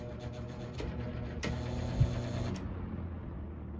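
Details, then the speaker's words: Fan with motor misaligned from uneven mount nut tightening: fast uneven buzzing rattle over the motor hum, fading as the fan winds down; misaligned motor bearings. "so I've had this happen on the channel before and I'm going to show a clip of what happens if you don't align your motor correctly oh"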